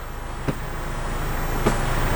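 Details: 2009 Nissan Teana 2.0 JK, pre-service check: low steady idle rumble with two soft thumps as each gear engages, no shudder or clunk; gearbox and engine mounts fine, normal idle in gear.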